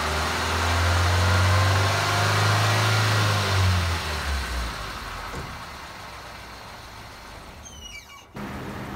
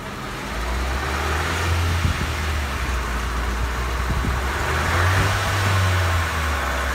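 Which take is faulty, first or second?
second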